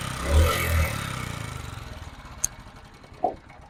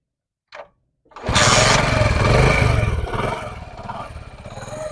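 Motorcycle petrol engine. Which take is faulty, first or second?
first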